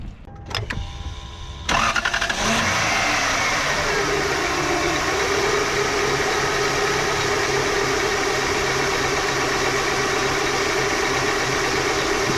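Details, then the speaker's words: 1999 Lexus GS400 after power steering pump, hoses, reservoir and accessory belt tensioner replacement: brief crank, catches into steady even idle, no more growling or whining; normal idle. "Nice and smooth, no more growling or whining."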